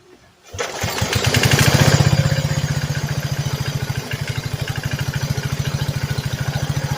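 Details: Replacement single-cylinder small engine with modified rope start on a homemade van go-kart: pull start catches at once, then settles into an even, regular putter; normal engine start.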